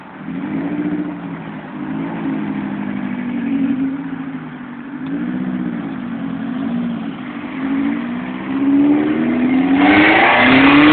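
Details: JDM Honda B16 blips its revs, then turns loud and raspy as the leaking exhaust spits under higher revs.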